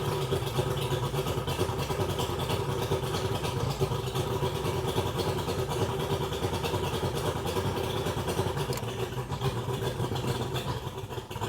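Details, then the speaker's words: 2001 Mercury 200hp EFI outboard with VST on ProCraft boat, running on the hose, loses power above 7 mph: lumpy, uneven stumbling beat at low speed; seems not firing on all cylinders, compression test planned. "Alright, you can tell she's sick. Sounds like she's not firing on all cylinders to me. It's not an even, like you don't hear it even, like it's off or something."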